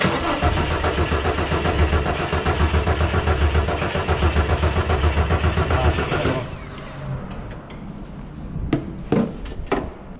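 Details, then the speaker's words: 1983 Ford XE Falcon 4.1L Crossflow EFI, sat for years, ex-LPG with mystery wiring, throttle held open: steady cranking about four turns a second for six seconds with no firing; engine turns but won't start. "okay so we're just going through uh different uh causes that maybe you won't be firing"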